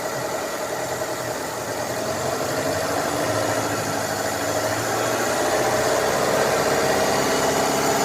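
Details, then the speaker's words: Daihatsu Taruna/Feroza carburettor after making the primary power-jet piston work via manifold vacuum: even idle, regular beat, no stumbling or hunting; primary no longer running rich. "sekarang sudah tidak kelebihan ini kalau kita tutup malah tambah tambah agak enak artinya ini untuk eh setelah kita fungsikan tadi piston powerjet di bagian primer tidak kelebihan bensin lagi"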